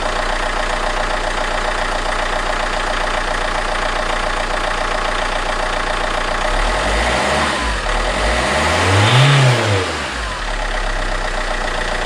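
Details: Alfa Romeo 159 1.9 JTDM diesel just after fitting a new exchange turbo: even, steady idle clatter with a smooth rise and fall in revs, running healthy. Left idling hot to burn residual oil out of exhaust and DPF.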